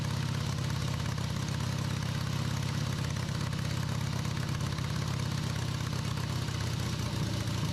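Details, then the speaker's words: Rebuilt Harley V-twin on off-road trike, first run after timing was significantly advanced, carb working; deep loping idle, even beats about three per second, no misfires or rattles; normal idle. "Surprised the carb actually worked as well as it did. Sounded good."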